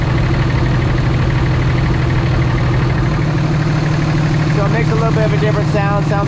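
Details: Warm 2006 Ram diesel with exhaust brake engaged: deep, steady rumble with a throaty, restricted exhaust note. No blow-by found.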